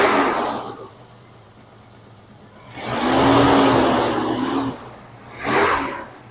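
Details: 1996 Ford F-150 V8, recorded at exhaust: two quick throttle blips from under hood, note rising and falling, no smoke; poor compression test, suspected dead zero-compression cylinder causing misfire.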